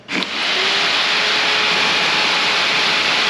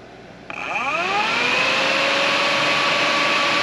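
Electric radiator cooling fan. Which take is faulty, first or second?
second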